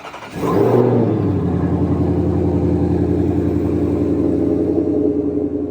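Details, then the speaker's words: 2020-2022 Shelby GT500 V8, first start after a PCM replacement for an intermittent misfire and power loss: a quick crank, instant catch, then a steady, even idle with a smooth deep rumble, a healthy start and idle. P0315 (crank variation not learned) is flagged afterward. "All right, moment of truth. Everything's uploaded. You're gonna try and start it. See if she'll start. It's alive!"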